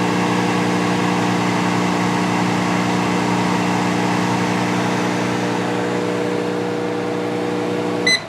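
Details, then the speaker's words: 1988 Magic Chef microwave running 30 seconds on a water test: loud steady buzzing hum with coarse vibration, ending in cycle beeps; water not heated, magnetron suspected of not outputting. "not sounding good i don't think the magnetron's outputting anything"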